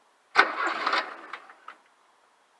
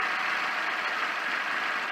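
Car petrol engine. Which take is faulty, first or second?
first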